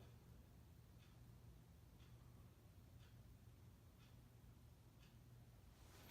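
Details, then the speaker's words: 1980s (owner's guess) 52" King of Fans ceiling fan, antique brass, speed coil instead of capacitor, ball socket mount, running on low speed: very quiet low hum with faint soft ticks, gentle breeze; normal low-speed operation. "Normal low speed. Moves a nice gentle breeze on low."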